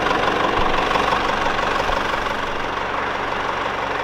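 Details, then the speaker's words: Mercedes-Benz E-Class W210 220 CDI diesel, fully warm after a roughly 40 km test drive: even, steady idle with no stalling; the waveform is fine and the car is considered fixed. "So I'm pretty sure the car is fixed, because right now the car is fully warmed up, and we don't have any issues like stalling up or anything like that."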